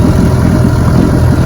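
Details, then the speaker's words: Fully restored 1958 Johnson 18 HP FD-12 two-stroke outboard, lake test: loud, steady low buzz with even, fast beat and no stumbling; running strong and clean. "there's a difference between running good and running great and this one runs great it's a 10"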